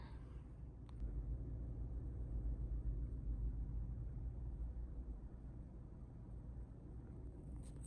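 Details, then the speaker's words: Chevrolet Trax Crossover idling in N after warranty replacement of the driver-side transmission mount. It gives a quiet, even low rumble with no shake or knock, measuring about 34.5–35 dB, the same as in D. "34.5에서 35 정도 비행기 지나가니까 이제 어 하고 엔단이나 뒤단이나 소음은 동일하다. 소음은 동일하다."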